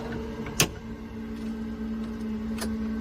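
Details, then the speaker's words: Hot rod being revived with a new driveshaft: steady low electric hum with the ignition already on and the engine not cranking; fuel pump runs continuously, apparently hardwired. "Why is the uh fuel pump already running? Is it hardwired in?"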